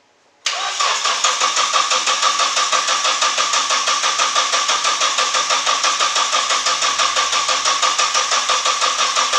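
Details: Nissan 240SX after engine install, oil added down the cylinders: starter cranks evenly at about three compressions a second but it never fires; crank no start caused by distributor installed 180 degrees out, fixed afterward.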